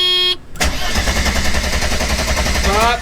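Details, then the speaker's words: 1991 Mercedes 300E, about 200k miles, non-running: about two seconds of steady starter cranking with no catch; spark test shows no arc, so the fault is somewhere along the ignition. "okay well we just figured something out somewhere or along the ignition it's not working"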